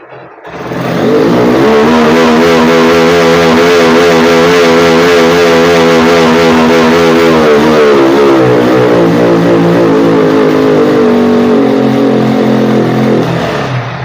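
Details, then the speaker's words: Honda X-Blade motorcycle single, low pickup complaint, fuel tap and carburetor diaphragm already replaced: with local air filter fitted, note sags flat instead of climbing; without filter revs freely to 11000 rpm; restrictive aftermarket filter, replaced with genuine Honda. "அப்படியே அடங்கிடுது இந்த ஏர் filter எடுத்துட்டா சூப்பரா rice ஆகுது"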